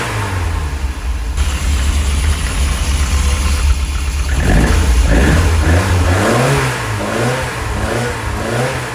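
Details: Lotus Elite revived after ten years in a barn, after cleaning its dirty carb float chambers and refilling with fresh fuel. Still not warmed up, with good oil pressure. An even idle climbs and falls cleanly through revs without misses or knocks.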